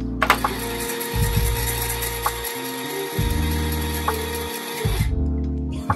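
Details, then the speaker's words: Commodore VIC-20 Super Disk Drive while loading: loud whirring drive mechanism whose tones shift and stutter, well above normal. Owner thinks it may need opening and lubricating; cause unconfirmed. "I may we need to open it and and lube it a little bit but yeah it makes a lot of sound a lot of noise"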